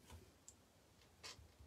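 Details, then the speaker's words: Genius GTC8 differential being assembled, with a 0.2 shim setting pinion mesh: a few light, sparse ticks as the pinion is rocked back and forth; a small amount of bevel-gear free play, which is correct and normal. "Il faut qu'il y ait un petit peu de jeu. Il ne faut pas que ça fasse un grand jeu, mais un petit jeu. Là, c'est bon."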